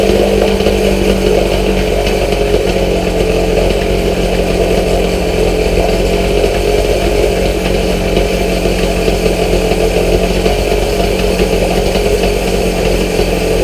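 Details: Outboard motor after new fuel lines, cleaned petcock and carb cleaned of gummed old gas and ethanol residue, started with starter fluid: steady buzzy two-stroke at fast even speed, still only runs on choke, cause not found.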